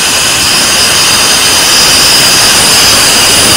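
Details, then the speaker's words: LPG stove regulator locked onto a newly bought gas cylinder with its seal in place: loud, steady high-pitched hiss, unvarying until shut off; gas escaping at the regulator seal, with a bad or worn rubber seal among the suspected causes. "ini regulatornya saya pasangan begini ini lalu kita kunci ini terjadi kebocoran teman-teman"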